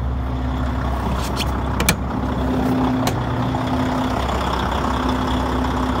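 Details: Volvo FH16-660 truck diesel, about 1,150,000 km and 27,250 engine hours, first start in two months, engine unopened, injector sleeves and flywheel replaced: steady, even idle with no knocks or misses, a brief air hiss early on; healthy.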